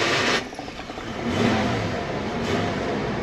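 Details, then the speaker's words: 1995 Ford F-150 XL, manual, cranked in neutral with clutch depressed: harsh metallic grind as starter engages, then rough uneven churning; starter chewing up stripped flywheel ring gear teeth. "I don't know what that was but it sounded like the flywheel was getting eaten alive by the starter motor let's try that again okay yeah that sounds like the like the flywheel's a little torn up"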